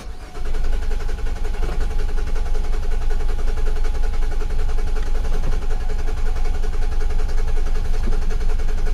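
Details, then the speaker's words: 2008 Nissan Quest 3.5L crank-no-start, codes U1000 and P0726 cleared: starter cranks with a steady whine, engine never catches, fuel pump unusually loud while cranking; fuel pressure to be checked. "our fuel pump is like really loud so we should probably check the fuel pressure too I usually don't check fuel pressure but it's really loud when you crank"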